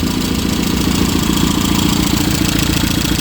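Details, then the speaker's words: Rover Mini after junk was cleared out, idle dropped right down to a smooth, even beat of about 3.5 pulses a second with no knocks or misses; a slight leak at the top was nipped up with a socket; normal warm idle. "but it seems to be running absolutely lovely"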